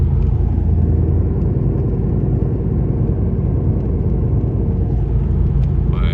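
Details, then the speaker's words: 2012 Ford Focus 5-speed driving at about 12°F, ABS, traction control and check engine lights on with rear left wheel bearing code: deep steady droning growl holding with road speed; worn rear left wheel bearing. "With the ABS traction control light on and the check engine light on, they are throwing a code for a rear left wheel bearing. I don't know if you guys can hear that."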